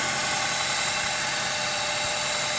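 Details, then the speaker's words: 2006 Honda Element power steering pump at idle and turning: steady loud hissing drone, no knocking; air drawn in past worn pump o-rings, noise eliminated by replacing o-rings. "it's just a loud long sound well there's o-rings here and here and those o-rings let in air"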